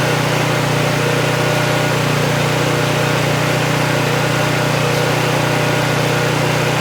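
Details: Vintage Honda EG1400Z generator, an auction find that would not run, restarted without choke before checking power output with a meter; a steady, even putter at constant speed with no hunting, misses or surging, a clean normal idle.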